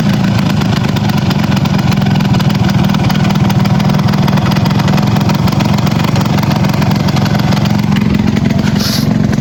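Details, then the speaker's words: Yamaha RX 115 two-stroke after retightening the silencer; fast crackly high idle with raspy puffing at the header, still leaking from the top because the exhaust gasket hasn't seated: exhaust header leak. "হচ্ছে এটা এখনো leak হচ্ছে উপর থেকে leak আছে কারণ এরা গ্যাসটা বসে নাই প্রথম"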